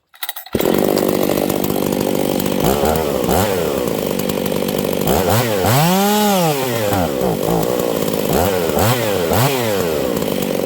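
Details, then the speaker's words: Husqvarna 268 chainsaw, high jet turned out another quarter turn yet still lean: screams to a thin, hard high rev with no four-stroking burble, drops and revs again; dangerously lean, fueling issue. Lean running at high speed. "did you guys hear that this thing is going super lean okay I'm going to turn this High jet out another quarter turn it should be way too rich right now but it's not"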